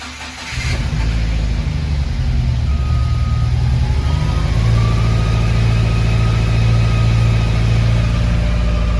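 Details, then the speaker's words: Subaru FA20, restarted for data logging: catches into lumpy idle, beat stumbling unevenly with light throttle; cylinder 4 logged rough and misfiring, cause unknown, tune suspected. "there's definitely something going on because cylinder 4 is rough and it's really not liking what's going on so we got to figure out what's happening"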